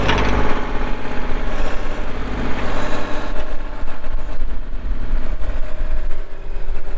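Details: 2024 Kubota L2501 compact diesel tractor with loader, backhoe, hydrostatic drive and 35 hours. Dense, steady diesel clatter at constant idle with no misses or odd knocks; a normal, healthy idle.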